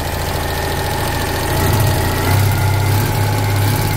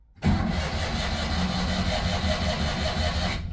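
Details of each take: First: Citroen 2CV air-cooled flat twin, 135,000 miles, first cold start after about eight months sitting, no battery charger: steady even low putter with constant beat, no knocks or misses; normal idle. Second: 1982 Citroën 2CV flat-twin, unused about 8 months, cold start: strong, steady starter cranking for about three seconds without firing because the choke was not set.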